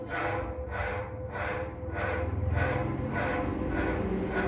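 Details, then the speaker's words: Ceiling fan running slowly and noisily, humming with a slow rhythmic swish each turn; a weak capacitor leaves it underpowered, and the fix is a capacitor replacement. "दोस्तों, यह हमारा ceiling fan है, और यह बहुत शोर कर रहा है और धीरे- धीरे चल भी रहा है।"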